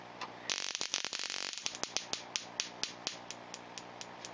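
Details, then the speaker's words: Green Solex ignition coil on a Solénotest tester at reduced frequency: spark snaps a few per second keep dropping out, with a small cracking noise from the coil itself, not the gap—missing sparks from internal arcing. "Donc il manque des étincelles, on entend quand même un petit bruit, c'est absolument pas l'éclateur et l'étincelle, le bruit vient de la bobine, il y a un arc interne qui se produit quelque part et qui claque, c'est ce que l'on entend."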